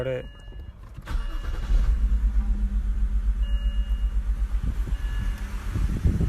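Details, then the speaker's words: 2007 BMW 325i E90 sedan, non-running for seven months, alternator replaced, at idle with the microphone at the exhaust: uneven, lumpy pulse about four times a second; cylinder misfires, with ignition coils suspected. "Was finally able to get it start, but it's still having misfires. It starts fine, but I don't know if you'll be able to hear the misfires."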